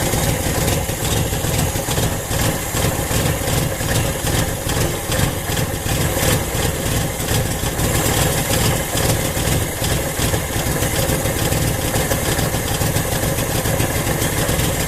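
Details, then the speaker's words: 1980 Honda Accord with newly fitted Weber 32/36 carb not yet dialed in: lumpy, loping idle with stumbles, doggy and reluctant to stay idling, sounding like a couple of cylinders misfiring; cause not confirmed. "Start it up again here. Sounds like it's just terribly messing with a couple cylinders."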